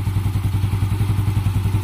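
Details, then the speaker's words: Yamaha Mio Sporty scooter after tune-up: the lower side had been left too tight, choking the exhaust; now adjusted, timing set and cleaning done. Steady, even thumping idle about nine beats a second, no skips or pops, earlier noise gone. "okay na, tahimik na, wala na yung kagit-ngit, no? Okay na,"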